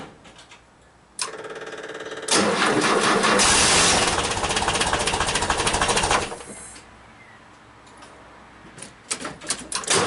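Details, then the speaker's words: 1977 VW T2 camper, original 2 L twin-carb 60 hp air-cooled engine, cold start after two weeks sitting, freshly recharged 3–4-year-old battery. Cranks about a second, catches, revs, then settles to a slightly low idle; a healthy cold start. "not bad after two weeks Idol Str away but um idle is a little bit low it will pick up when U when the engine warms up"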